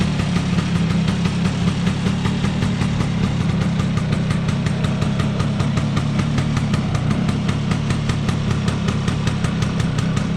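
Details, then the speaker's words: Restored Vespa P200E two-stroke scooter idling with a fast, even burble, no hunting or stalling, after engine air leak-down testing; now ticks over where it previously wouldn't, normal idle. "that certainly sounds much better and it's ticking over which it wasn't doing before"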